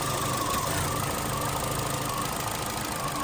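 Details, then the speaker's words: 2018 Chevy Sonic 1.8L petrol engine idling unevenly with a lumpy, stumbling beat and bouncing RPM, check engine light on; running lean from a vacuum leak, fixed by replacing the plastic cam cover with PCV. "check engine light so it kind of feels like it's misfiring in a way but I believe it's probably just go and lean and then WR lean wret that type of thing trying to compensate for the vacuum leak"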